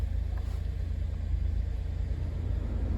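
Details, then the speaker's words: 2012 Chevy Impala, Copart salvage car with about 100,000 miles, idling during walkthrough: low, even rumble with a steady beat and no knocks or ticks, runs great; normal idle. "Runs great, purrs like a kitten. No complaints there."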